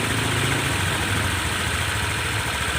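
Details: Honda PCX150 after top-end work for damaged valves that stalled on starting or slowing and whose revs wouldn't rise: a steady, even putter at idle, no dipping, stalling, tapping or rattle.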